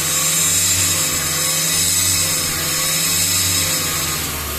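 Loud, raspy buzz riding over the engine with a slight wavering pulse; an engine-bay buzz whose cause can't be pinned down.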